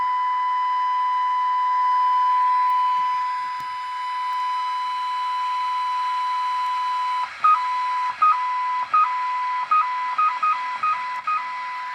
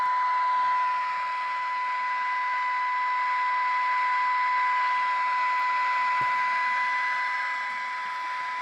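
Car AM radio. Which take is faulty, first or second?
second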